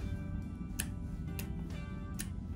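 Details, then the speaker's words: Relay wired to a switch, light-duty coil circuit commanding a heavy-duty circuit: crisp single click as the coil pulls the contacts closed when the switch is activated, over soft room music; relay switching normally. "if I activate the switch this really it will actually start working you can hear click in there"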